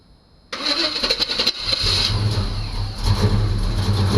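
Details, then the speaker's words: 1985 Chevy C10 short bed, bought not running, first start after replacing starter with a smaller S10 4.3 V6 unit, long tube headers, makeshift throttle linkage: short crank, catches and settles to steady idle with slight lumpy beat; it runs. "yeah it runs but I made a mistake I didn't check the oil"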